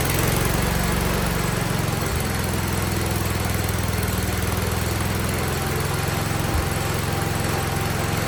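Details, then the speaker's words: 47-year-old Wheel Horse tractor, single-cylinder, carb slightly tuned, choke fully off, no air filter yet, no smoke: steady, even beat with low thrum, no misses or surging; running smoothly. "tried tuning that cars a little bit I think it was iding slightly better I was able to shut the choke all the way off in here and uh I think it sounds good it wouldn't smoking none"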